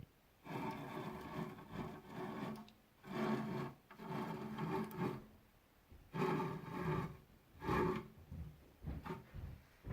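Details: Newly arrived 6040 CNC router, axes pushed by hand before the stepper motors were fitted: harsh, gritty rasping in uneven bursts. The owner thinks all the axis screw bearings are gone; not confirmed.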